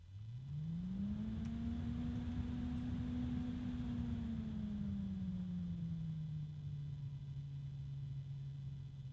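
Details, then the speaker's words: SilverStone FHS 120X industrial 120x38mm PWM fan at its minimum speed. Whirring tone rises then settles, already fairly loud, with a faint scraping rub under the airflow. Fan rubbing noise. "So as you can tell, it's already got a fairly significant amount of sound from it. I do hear some rubbing,"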